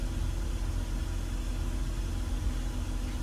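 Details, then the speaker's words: BMW E46 petrol straight-six idling after a CCV vacuum leak repair and a bad coil pack swapped (cylinder 6 misfire): low, steady hum with no stumbles, far smoother than before; idler pulley still noisy. "like by far like I this is running insanely smooth compared to what it was not even 5 minutes ago"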